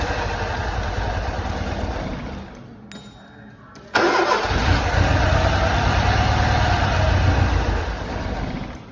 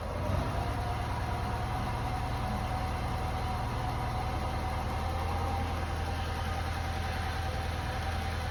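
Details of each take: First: Lancia Delta HF Integrale unstarted over six years, first start after new fuel pump, cleaned lines and four replacement injectors: starter cranks, pauses, then engine catches with a loud burst and runs rough with slight misfire for a few tries. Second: Lancia Delta HF Integrale, long-stored, after new fuel pump and four replacement injectors, now warmed up a little: smooth, steady idle with even low hum, no hunting or misfire; running much better.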